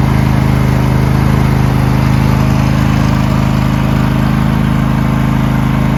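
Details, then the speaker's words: Used riding lawn mower with a roughly 20 hp V-twin (owner believes), new 320 CCA AGM battery, low about half a quart of oil, sat three months unmoved; strong, even thumping at steady fast idle, no misses or knocks, normal running. "has a v twin in it uh believe 20 horsepower it's a good engine huh from what I can remember"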